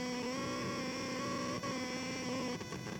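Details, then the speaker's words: Steady electronic buzz with even high tones from a vacuum tube amp near a CAD computer video card; persists when the amp is moved away and with an aluminium shield; later traced to motherboard power/ground plane noise, gone when audio out unplugged. "But yeah, still get that weird sound."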